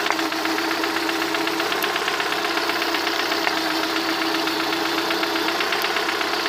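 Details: Lada 21126 engine at idle: a light, fast, fairly regular tapping knock of about four per second rides over the engine and is clearest toward the end; the cause is unknown.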